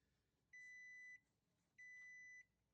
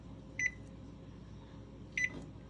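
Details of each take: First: GE range model PB950SF2SS not baking, broil started: six even beeps, each about half a second, repeating every 1.25 s in a quiet room. This is the F20 error code for a failed oven temperature sensor. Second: GE range model PB950SF2SS with F20 code, temperature probe tested: bake start gives two separate clean single beeps about a second and a half apart with no double beep, and it reaches temperature; normal bake start.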